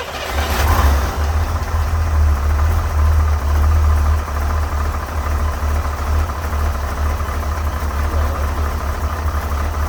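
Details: 1968 Corvette with 1969 small-block Chevy 350 and 1972 heads, cold start: catches and settles into lumpy idle with loose, uneven rattles over low rumble, slight blue smoke, smells of gas; source unclear.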